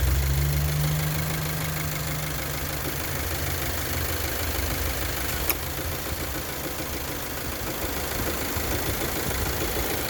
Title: Engine Knock